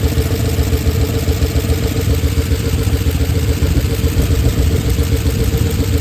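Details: Oldsmobile Super 88 V8, warmed up (hard to restart when warm since the timing work): uneven, loose pulsing lope with clatter underneath; exhaust shot and missing bolts, owner unsure whether that causes it; rough idle.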